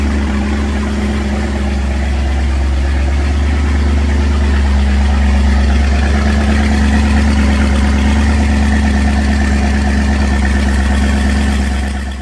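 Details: 1983 Formula F20-SC boat's MerCruiser 305 small-block V8, first start (freshly painted short block, starter troubles first), run at night: low, steady, even burble with no knocks or ticks, a healthy normal idle.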